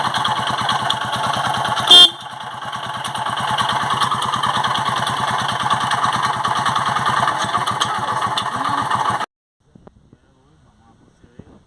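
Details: Eco Deluxe motorcycle engine idling with a quick, uneven ticking knock through the exhaust beat, about three per second. Connecting rod knock from a worn rod bearing; the engine is drained of oil and disassembled because of it.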